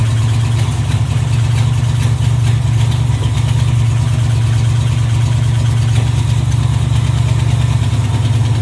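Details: 1986 Camaro Z28 350 small-block V8, carbureted, new fuel line, running off tank, oil pressure and charging OK: deep, steady V8 burble at idle, even beat, no misses, knocks or ticks; idling cleanly.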